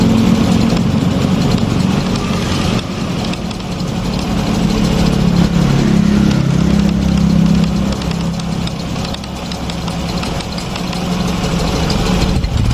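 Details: Fuel-injected Honda Revo Fit motorcycle at idle: uneven tok-tok knocking about four per second over lumpy idle from right-side clutch area; worn centrifugal clutch shoes.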